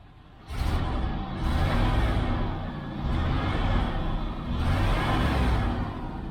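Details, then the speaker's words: 1994 GMC Stepside pickup V8 after exhaust welding work: starts and rises in a few blips with deep even rumble, no ticking or puffing, much quieter; exhaust sealed, no leak. "doesn't seem to be leaking up here though uh but anyway that's what I've been doing guys I'll be back okay guys much quieter"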